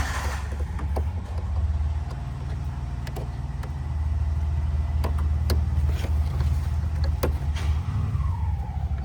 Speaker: Motor Condenser is Abnormal sound and low speed operating. Motor condenser is defective